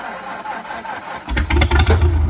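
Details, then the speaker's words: Old magneto-ignition tractor, started after turning on fuel; quiet hiss, then engine catches and settles into deep, steady, slightly uneven chug; normal start. "Well, there you go. We're gonna get an old tractor started. That is cool."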